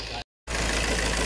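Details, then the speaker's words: 2018 Peugeot 3008, noisy engine: hard rough clatter at idle; injector number one reads higher than the other three, which should match, with fault code for cylinder one combustion; fuel system problem. "may fuel engine natin kasi kasi ah yung value nung sa injector number one is mas mataas compared dito sa tatlo which is dapat pare-parehas sila"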